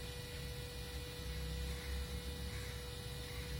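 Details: 2015 Toyota Prius Alpha at 91k km: a steady mid-pitched drone from the AC compressor over a low background rumble, louder when the outside temperature is very high.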